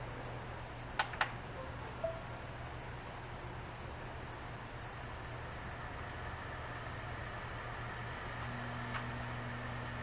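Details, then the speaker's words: 750GB Seagate Barracuda ES server hard drive, 7200 RPM, 16MB cache, running with cover removed and no air seal during teardown: steady low platter hum under constant airy hiss with sharp ticks, loud; drive still reads, shelf vibrating. "without the proper air seal it's really loud you may even be able to hear it right now"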